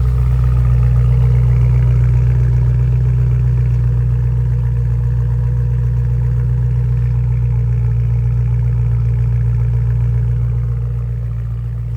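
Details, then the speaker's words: 2011 BMW M3 (E9x) at operating temperature after jump start, IP exhaust with stock midsection, valves open, exhaust just fixed: deep steady idle drone, smooth and even, no misses or rattles, less water vapour; healthy. "here's the exhaust at operating temperature it's a little deeper and but less boat water vapor"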